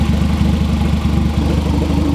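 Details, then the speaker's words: Turbo B18 EF Civic sedan on EMU Black tune, warm four-cylinder idle after a 20- to 30-minute test drive: deep, even exhaust pulse, no misses or knocks; no leaks, not overheating, running good. "Still running good. Nothing leaking at all. Doesn't overheat or anything like that, so far so good."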